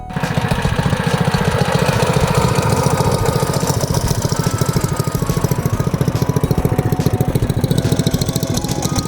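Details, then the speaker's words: 212cc engine on a CT100U minibike, first ride and break-in after installing a billet rod and flat-top piston: a steady, even, deep single-cylinder thump at about 214 beats a minute with no knocks or misses, a healthy idle that now sounds deeper. "So good, but it's got a different sound. Yeah. Like it's like a deeper sound to it now."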